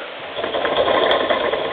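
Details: 2011 Avid Code MTB disc brake with 203 mm floating discs, just adjusted, wheel spinning: quick light freehub ratchet clicks with only the faintest rub behind them; the brake is adjusted well.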